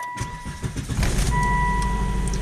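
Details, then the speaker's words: Known-good Volvo with the same crankshaft position sensor as a 2004 XC90, used for a scope comparison: brief crank, catches within a second, revved, then shut down; steady even idle, a healthy quick start. "fires right up and we'll rev It Up and we'll shut it down"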